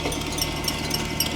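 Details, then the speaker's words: 1998 Jaguar XKR supercharged, idling: quick, uneven slapping and chirping as the chewed-up belt flails because the tensioner pulley has seized and is not spinning. "you see the belt is chewed up and you see that right down there on the tensioner that is not spinning that has se though it sounds absol"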